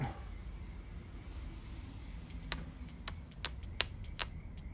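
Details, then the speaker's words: Bosch 044/070 fuel pump gummed after sitting dry two years, run on 18 V battery instead of 12 V: irregular sharp ticks, one or two a second, over faint hum, no spin-up; pump seized, not breaking free. "well it's more vigorously trying but it's not not breaking free let's try the other one here's the other pump whoa not spinning"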